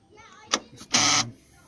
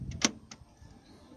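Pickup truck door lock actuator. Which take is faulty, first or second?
first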